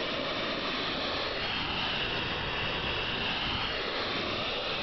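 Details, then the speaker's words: 1987 Dodge Daytona EV conversion with Warp 9 motor: constant airy hiss with no beat beneath, from DC-DC converter that has hissed since installation around July but still works. "So, anyway, that is the DC toDC converter noise. Got to love it. nice silent electric vehicle with weird hissing."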